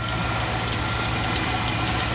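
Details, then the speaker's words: 1995 Dodge Ram 2500 van, 5.2 V8, at idle: a thin, high squeal over the engine that persists after spraying the outside of the belt. A slipping belt or pulley is suspected but its location is not confirmed. "it's still squealing like a hake yeah squealing like your mom"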